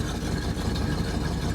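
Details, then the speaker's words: 1967 Plymouth Fury III 383 V8 at its first start in about 15 years: loud, lumpy idle with raw, blatty exhaust and uneven puffing, smoke and burning-dust smell; exhaust leaking through a holed muffler. "when i was only here the other day i did notice the muffler had a hole in it you guys can hear"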